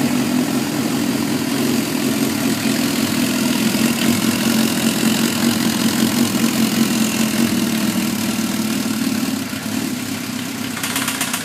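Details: Suzuki GSX-R1000 with 33,000 miles at idle, no FI code, 175-180 psi compression on all cylinders, leakdown negative; light, uneven tick from the head that comes and goes; owner suspects valve train, cause not confirmed.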